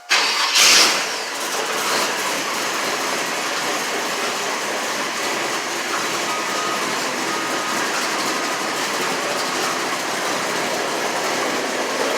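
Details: 1993 Chevy C1500 OBS with a new port-EFI SBC 350/355, cold start with the exhaust in quiet mode and the old tune cleared for self-learning (tune still weak). It catches within a second and settles into a steady, even idle with a soft exhaust.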